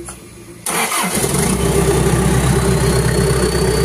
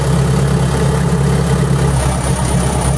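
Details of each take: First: Engine after stalling and blue/white exhaust smoke complaint, fuel pump coil checked and pump heard priming: brief crank, catches at once, settles into steady idle with stable RPM and no blue or white smoke; normal start. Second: Perkins diesel runs rough with an uneven, wavering beat and starts blowing smoke; failing electric fuel pump (no 24-volt replacement pump on hand, only 12-volt) starving the engine, complaint of stalling and blue/white exhaust smoke, radiator not losing coolant.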